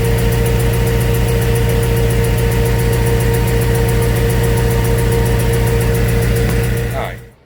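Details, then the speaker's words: Before repair, the car runs rough with an even, sharp tick about four times a second over a lumpy low idle. The tick seemed to come from under the car and was thought to be exhaust. The cause was a failed coil pack misfiring. "that was the ticking noise that was in the car um didn't know what it was from it sounded like it was coming from the bottom of the car thought it was exhausting that any other"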